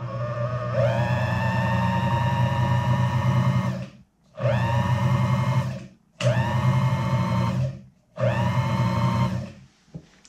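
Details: Boley and Leinen watchmaker's lathe after new shaft and cleaned motor and foot switch, first test run on round belt: motor spins up to a steady hum several times with short stops, smooth and even, no rubbing or knocking; normal running.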